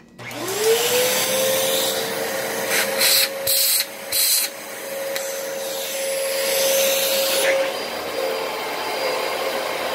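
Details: Dyson DC33 vacuum bought used from Facebook Marketplace, running: steady high-pitched whine over the airflow rush from start to shutdown; motor sounds unhealthy, owner suspects the motor, possibly a dirty HEPA filter.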